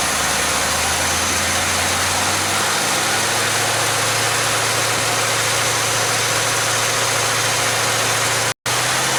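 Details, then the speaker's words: Chevelle V8 whose oil pressure warning light never comes on, on a mechanical gauge test reading 44 psi at 730 rpm idle and 48 psi at 1000 rpm: a smooth, even low rumble that picks up slightly, with no ticks or knocks; normal idle. "we're showing about 44 psi at idle"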